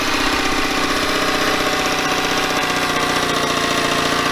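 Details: Yamaha 9.9hp outboard idling after warm-up, after replacing a cracked, dried-out carburetor diaphragm that caused heavy gas leaking; steady even idle, fast ticking patter, bright exhaust buzz, no misses or surging; leak fixed, running cleanly.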